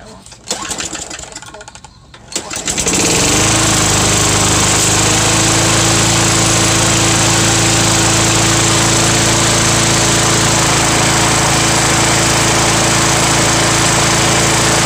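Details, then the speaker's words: Small single-cylinder lawn equipment engine running strong and steady with an even, rapid knock about three per second; owner believes it just sounds like that since it has plenty of power and is not an engine fault. "so this one sounds like it has a knot on it but it it just sounds like that and it's got plenty of power so i know it's not the engine"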